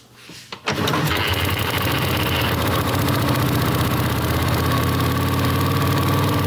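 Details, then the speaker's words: Long-stored survivor motorcycle, primed and kickstarted: it fires and holds a smooth, even loping idle about three beats a second, quiet with no clatter, running well right away. "It's as quiet as my 55, dude. The engine is quiet. That sounds good, doesn't it?"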